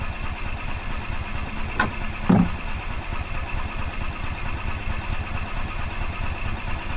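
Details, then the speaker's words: 2005 Club Car Precedent gas golf cart, sat about five years, cranking on choke as the fuel pump refills the carburetor: steady rhythmic cranking with a couple of knocks, no catch; owner suspects a varnished carb bowl, and it soon starts and runs. "okay I'm going to give it some choke the bowl could be varnished on the carburetor"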